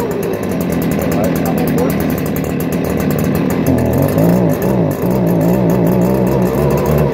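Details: 2018 Stihl BG56C leaf blower, a backup unit: a steady two-stroke buzz at working speed with a slight pitch wobble; strong and healthy.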